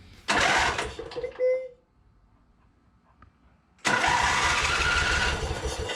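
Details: John Deere Z425 zero-turn with a swapped-in donor twin engine, started with the e-brake on to satisfy the safety switches: short bark, pause, then it catches and settles into an even, steady run. Healthy start.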